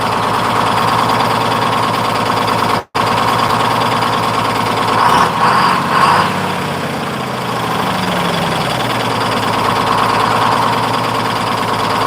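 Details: 1948 GMC Silversides PD3751 Greyhound bus, 6-71 two-stroke diesel after in-frame rebuild, first start: steady busy rattle, picks up cleanly on throttle and returns smoothly; good response, normal idle and revving.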